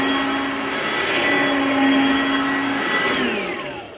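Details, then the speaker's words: Oreck XL Platinum upright vacuum (Goodwill find, floppy handle): strong, healthy-sounding motor hum with a thin, steady high squeal that fades on spin-down. The worn brush-roll belt is slipping and squealing, the spare belt is gone and the brush roll is bad; it needs a tune-up. "That belt definitely squeals, but the motor sounds really good. But this thing definitely needs a tune-up, because that belt is very squealy, and there is no belt here."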